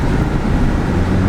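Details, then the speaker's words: Audi RS3 on the highway at about 110 with the sunroof opened: heavy, constant low drumming over road roar, sunroof wind buffeting. "I'm going to open the sunroof and I'll show you exactly why it's so crap listen carefully just makes like a noisy drumming sound which is horrible"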